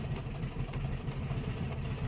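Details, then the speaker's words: 1967 VW Beetle, first start after sitting, on a jump pack, with a modified carburetor that has the choke eliminated: a quiet, lumpy idle with irregular chuffs and pops, sounding like it is missing cylinders. Cause not confirmed. "Sure sounds like we don't have all the cylinders. Ain't good."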